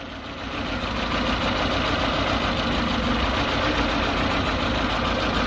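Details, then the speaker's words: Peugeot 206 CC 1.6 16V (TU5JP4) idle shaking abnormally: uneven, lumpy pulses about three a second; diagnostic shows strong misfires on several cylinders, especially cylinder 2; compression problem not yet ruled out, lambda sensor also suspected. "donc on constate qu'il y a des forts rat de combustion sur plusieurs cylindres et en particulier sur le cylindre numéro 2"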